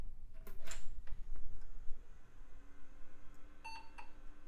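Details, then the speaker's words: Mid-2000s budget PC powered on with a substitute Corsair PSU: a few clicks, then one short, chirpy, stuttering beep, yet it still posts; cause unclear. "oh that sounded funny it is posting though what was that one little fake beep"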